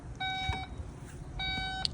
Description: How to disable/remove the beeping sound that comes from opening and closing the trunk on a Porsche taycan.